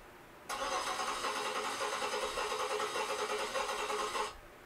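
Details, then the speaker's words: Engine cranking: lopsided, uneven starter beat from one weak cylinder with low compression. "okay so you hear how how the engine is not consistent okay that's what you're that's"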